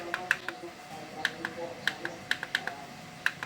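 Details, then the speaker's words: Panasonic NA-V10FR1 front-loading washing machine control module, fault was failing to switch on: after the two faulty switches were dealt with and the board refitted to its cover, buttons including power give one crisp, positive click per press; working normally. "Untuk kali ini sudah saya sempling ke covernya dan coba kita tekan apakah terdengar klik."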